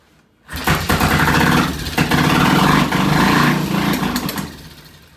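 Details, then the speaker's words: Vintage British T20M motorcycle on a first start test, using a separate ignition system isolated from the bike's wiring: it fires at once into a loud, uneven beat, surges, then fades within seconds. Carburetor problem suspected. "That sounds familiar. Yeah, it's carburetor. That sounds familiar. that is the weirdest carburetor failure I've ever heard in my life."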